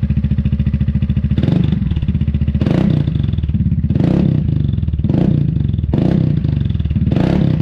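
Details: Newly fitted Dominator exhaust with a remade medium baffle (chicane) on an MP3 500, started after mounting: a deep, loud note blipped repeatedly from idle, revs rising and falling cleanly with no internal rattle (the earlier "gling-gling" is gone). Normal exhaust note.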